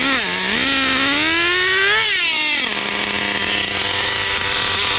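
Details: Traxxas Nitro Rustler with TRX 3.3 nitro engine replacing stock 2.5: high idle blips up then settles to fast steady buzz that won't drop; idle too high, super rich.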